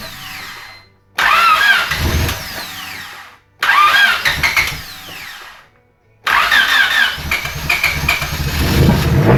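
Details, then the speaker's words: EJ8 Civic D16 with an eBay turbo build, just assembled and running with no muffler; loud raw exhaust in three blips, each catching quickly and revving cleanly. It runs fine, just unmuffled. "I need a muffle that sounds pretty good"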